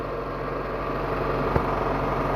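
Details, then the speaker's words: Proton Waja after replacing a water pump whose failed bearing caused a rough noise: a quiet, even petrol idle with a soft hum and no bearing growl. Normal now. "Okey kita dah start kereta ni hidup dah dia punya beza bunyi tu bunyi tu dah okey"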